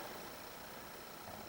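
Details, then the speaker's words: Sanyo fan with its original part replaced by a ferrite choke, just out of storage, switched to low speed. Quiet even whir with no stalling, surging or rattle, and the motor sounds healthy. Spin-down time is a bit short. "and you can see it still runs doesn't stall out or anything like that"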